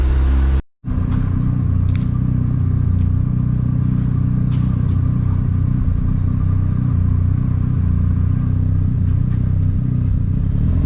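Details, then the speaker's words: Mazda RX-7 FD rotary warm after about 10 minutes of idling, oil temperature at 70 °C: an even, low burbling idle with the typical choppy rotary pulse, steady and unchanging; normal warm idle. "so already the car has been idle now for around 10 minutes you can see all temp nicely at 70 degrees"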